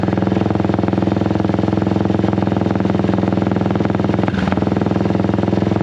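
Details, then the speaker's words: Honda XL175 dual-sport motorcycle idling after exhaust replacement; steady, even thumping idle with a deeper, full exhaust note, not much quieter than before, no knocks or rattles; sounds healthy. "you know like i said i didn't think it was going to be that much quieter it's kind of a different uh deeper sound"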